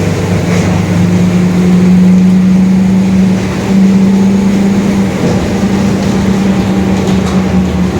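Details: Steady low differential growl (diferencial roncando) under road and engine noise while driving a 2021 Marcopolo Torino S long-body urban bus on Mercedes-Benz OF-1721 Bluetec 5 chassis; worn differential whine.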